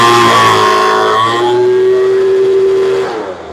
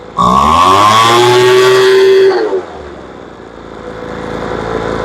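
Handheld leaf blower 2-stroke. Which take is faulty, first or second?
second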